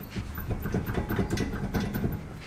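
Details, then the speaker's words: Passenger-side right rear wheel rocked by hand: irregular dull clunks from loose play, the whole wheel moving; bad wheel hub, bearings inside likely going or out of shape; unsafe, axles and hubs being replaced. "you guys can hear it I'm not sure if you guys can see it too well but the whole wheel is moving so we got a bad wheel hub over here guess the the bearings on the inside are either starting to go missing or they're all just kind of out of shape right now"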